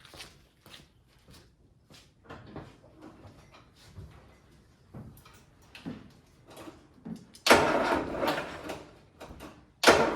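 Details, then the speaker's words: Land Rover Series 3 first start attempt after head gasket replacement, not run in months: weak, uneven, sluggish cranking in short bursts that never catches; owner first suspects starter, then a dead battery. "That is weird. Did you hear that? I think there's something wrong with my starter. That sounded weird. Yeah, dead battery, sorry guys."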